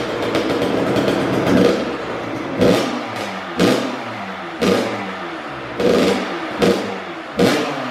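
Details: First-ever start of a brand-new Kawasaki KX112 with a Pro Circuit pipe, R-304 silencer, Boyesen RAD valve, VHM high-compression head and rejetting. Sharp throttle blips about once a second drop cleanly back to idle, with no misses or clatter: a healthy two-stroke.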